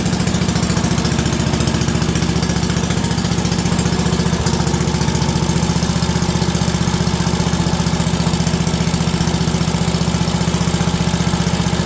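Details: WWII Wisconsin AB military Signal Corps generator, last started 70 years ago, running after fuel was poured into the float bowl and putting out about 117–120 volts: a steady single-cylinder beat of about 220 a minute with no misses or knocks. Normal running.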